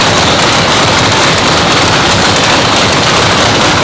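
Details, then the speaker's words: 997-cubic-inch nitrous race motor, freshly built, second fire-up after a 10-minute cool-down; very loud sharp crackling exhaust at steady fast idle, even popping with no misses; normal warm-up run. "We're gonna bring it up to 200 degrees. What that does is lets the rings and everything seat in the motor. It's gonna go ahead and expand everything where it's at."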